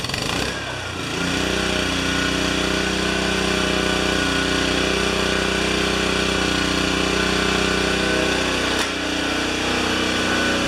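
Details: Honda-engined Toro self-propelled mower after fixes to the loose coil, rewind and self-drive belt, with the RPM raised slightly; steady, even single-cylinder drone at constant speed with no surging or misfire.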